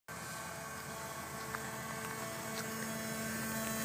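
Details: 1995 Porsche 993 running: steady, even-pitched buzz from the front area, also heard inside the cabin, unchanged while running; owner suspects the fuel pump, not confirmed.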